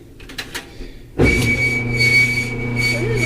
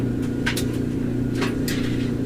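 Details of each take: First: Electrolux/Frigidaire stackable dryer GLET1031CAS0: after a quiet start it gives a loud, steady high squeal from a dry, worn rear drum bearing cup that overheated and lost its grease; replaced using a maintenance kit. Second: Frigidaire/Electrolux stackable washer-dryer (model GLET1031CAS0), after fixing a loud squeal with a maintenance kit and reseating the drum: steady low hum and even rumble from the tumbling drum, squeal much improved; normal dryer operation.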